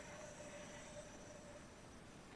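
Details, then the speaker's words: Solectria AMC325 motor controller with a faulty encoder board, motor temperature sensor bypassed by resistor: faint steady low whine that never climbs; motor just creeps and won't spool up faster because there is no encoder signal. "You get that classic where it just wants to spin. It won't spool up any faster."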